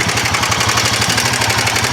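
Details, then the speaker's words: Rented Himalayan single-cylinder at idle before a day's mountain ride: a quick, even light tick on every firing pulse that the rider thinks is a tappet noise; valve train suspected, not confirmed. "Himalayan में एक tappet की आवाज़ है, वो मुझे सही नहीं लग रही, मैं आपको सुनाता हूँ।"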